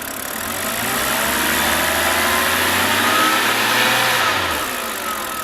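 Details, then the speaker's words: BMW N52 six-cylinder at 222,000 miles (about 350,000 km), found with no coolant and just topped up: smooth, even idle with only a faint valve/lifter tick, no other mechanical noises; sounds like a 20,000-mile engine. "It sounds like it's only like a 20,000 miles engine. Well, the valves, lifters tick a little bit, but it's just like I cannot hear any noises at all, like no mechanical noises whatsoever."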